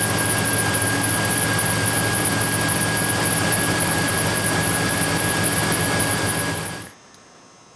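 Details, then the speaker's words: 2000 Chevrolet Silverado 1500 Z71 5.3 V8 idling after water pump job, low-mileage 105 amp alternator fitted: constant high-pitched squeal persists until shutdown, so alternator was not the cause; owner suspects idler pulley; serpentine belt squeal. "okay so I guess that was a failure apparently the alternator wasn't making the noise"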